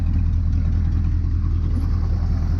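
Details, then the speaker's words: 1985 GMC 3500 6.2 Detroit Diesel with crank-no-start complaint, idling right after a quick warm restart in neutral: deep, even, steady idle with no misses or surging; runs healthy. "that was no problem so I wouldn't imagine that it has something to do with an electrical problem why I couldn't start it last night"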